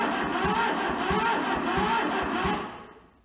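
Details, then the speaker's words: Toyota SDK4 skid steer diesel, rusted and frozen when bought, running from a temporary diesel tank with jumper to starter solenoid, injectors loosened to bleed; starter cranks about 2.5 turns a second with no firing: cranking no-start, no fuel reaching injectors. "Let's loosen the injectors and try to bleed it, see what happens."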